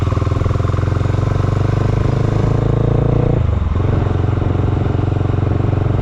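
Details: Honda GB500 single, start with choke on: thump sags and stumbles partway, speed dropping as if about to die; idle won't hold, starts then turns off; cause not yet known.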